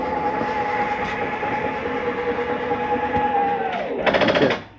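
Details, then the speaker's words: 2021 Palomino Columbus 298RLC, slide-out retracting: steady motor hum drops in pitch, then about half a second of rapid ratcheting clatter as the slide reaches full retraction; normal end-of-travel mechanism noise, not grinding, harmless. "If you hear that noise on any slide, it's just the slide mechanism saying, hey, you're in as far as you need to go. Stop."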